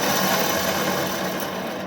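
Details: Truck with rumbling while driving, loudest on the driver's side, hub turned by hand: a rough, raspy grinding from the worn wheel bearing; the new bearing turns quietly with more resistance.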